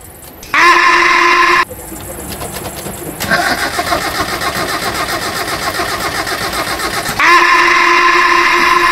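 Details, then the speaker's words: Car cranking on a new battery: starter turns the engine strongly in a quick rhythmic churn ("ngek ngek ng") but it never catches; battery is fine, the car itself has a fault. "konsumen aku yang datang ke toko itu di starter bunyinya gini ngek ngek ng enggak mau greng lah itu tandanya aki kalian itu bisa mengangkat motor starter mobil kalian tapi mobil kalian yang bermasalah yang enggak bisa hidup"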